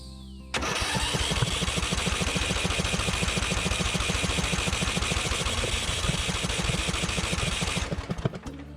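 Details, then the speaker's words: Riding mower engine cranking steadily at about three and a half beats a second with a few weak pops, never catching, after ignition trouble flooded it; rested 20 minutes, fuel just turned on; unsure whether flooded or dry. "i hear it popping a little bit i just don't know when you get into a motor a little bit at least for me it's hard to know if i'm just super flooded or if i'm super dry"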